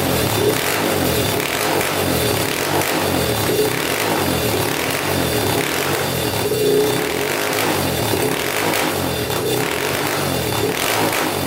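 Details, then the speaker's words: Yamaha Warrior 350 single-cylinder quad with the exhaust pipe removed, after idle adjustment: revs surge unevenly, then sag and bog, the same as with the pipe on, so the pipe is ruled out. Bogging under throttle. "Alright, you can hear it's kind of running good, kind of not. So it was running good at first, and then it kind of like shuts off and bogs down."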